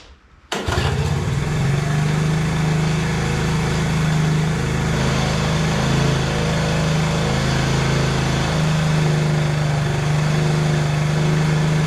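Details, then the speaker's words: 1986 Honda TRX 70 after OE carburetor cleaning, rebuild and reinstallation: catches within half a second, then a steady, even putter with a constant low tone; runs clean. "well it don't get any better than that that's why a cleaned OE carb is way better than anything else"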